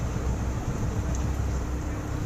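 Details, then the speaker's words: Hero Passion Pro that had a tak-tak noise and no pickup, after replacing a burnt clutch plate: steady, even idle rumble with a faint constant hum and no ticking; the single runs smooth. "बिल्कुल sound सही हो गया, सो कर रहा है।"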